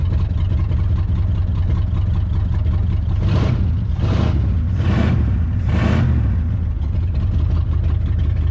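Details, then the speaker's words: 1966 Ford Galaxie, 352 V8 with factory four-barrel and Cruisomatic automatic, first start in 26 years after being seized: deep, steady V8 rumble with brief revs, idle settling evenly. Normal running after long storage. "yeah apologies I think sounds good"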